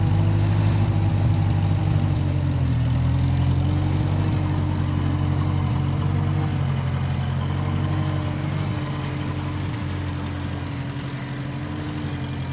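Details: 1955 Massey Ferguson MF65 tractor, run after sitting a couple of years, carb cleaned; owner thinks the Marvel Schebler carburetor needs slight dialing in. Steady, even low chug at a relaxed idle, no knocks or misses: normal running.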